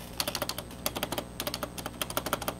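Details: Old rubber-dome keyboard after greasing the spacebar stabilizer: quick, crisp key clicks with clean short tails and no metallic rattle after each press; the spacebar rattle is fixed.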